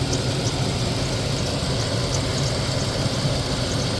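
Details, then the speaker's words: 2003 Chevrolet Tahoe after water pump replacement, idling: thin high chirp recurring over the rumble; accessory belt won't stop squeaking despite cleaning and spraying, belt seems to move oddly, owner suspects a worn belt edge. "Yeah, it doesn't want to stop squeaking. I almost feel like to me the belt is moving kind of funky."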